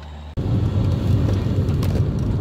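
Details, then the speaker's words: VAZ 2114 driving after lubricating the rear seat-back latch with WD-40: low steady road rumble, the earlier squeak on bumps now gone. "ну вот это уже тестируют ничего не скрипит"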